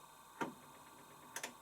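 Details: Washing machine with mechanical timer at the pre-wash stage: a couple of sharp clicks about a second apart as the timer advances; normal timer operation.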